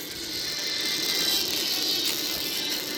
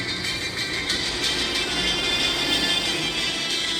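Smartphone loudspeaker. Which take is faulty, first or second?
first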